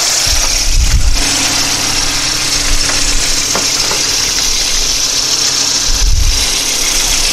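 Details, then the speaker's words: 1987 VW Cabriolet with CIS Lambda (K-Jetronic) injection during idle mixture setting, about 50% duty cycle: the frequency valve on the side of the fuel distributor gives a constant thin buzz over a steady idle, normally varying the mixture. "the frequency valve is right here on the side of the fuel distributor and it's buzzing and that's what's actually changing the mixture"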